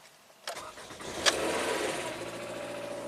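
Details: 2011 Toyota Camry that keeps blowing its ECM 5V reference, with a spare eBay ECM fitted, a jumper in place and the battery on a charger: short crank, then it catches cleanly and settles into a steady idle; starts normally.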